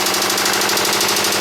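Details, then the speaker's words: 2009 Subaru Forester 2.5 L petrol boxer idling: loud, rapid, even knocking from internal engine damage, engine to be removed. "and as you guys can hear it's making a huge knocking sound this is unbelievable do you hear that knock so bad engine"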